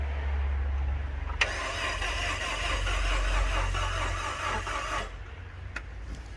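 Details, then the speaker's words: Rover 75, fuel pump working and no leaks, cranked with easy-start spray: quick, even starter churn about four beats a second, never firing; cranks but won't start, low compression suspected. "Something doesn't sound right there. That sounds like low compression."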